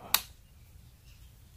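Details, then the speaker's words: Relay bench test: one sharp click when voltage is applied across coil pins 85 and 86, then quiet. This shows the coil pulls in but does not prove the contacts good; resistance across pins 30 and 87 is checked next. "så hva skal vi gjøre med test dette når du legger spenning over 85 og 86 du hører det klikker greit"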